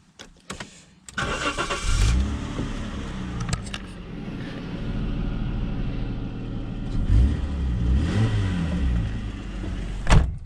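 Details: 25-year-old Jaguar XJ6 X300 that passed a garage check: short crank, catches cleanly, flares up then settles to a smooth, even idle with a second gentle rise; engine sounds healthy.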